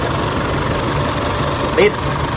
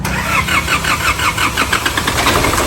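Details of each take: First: 2005 Isuzu D-Max diesel, towed in with a no-start, just started after repair with the front DJB sensor replaced: steady, even diesel clatter at idle with no misses or knocks. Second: 2005 Isuzu D-Max diesel, towed in with a no-start, start test after parts replacement with the belt not yet adjusted: sluggish, evenly spaced cranking for about two seconds from a weak battery before the engine catches.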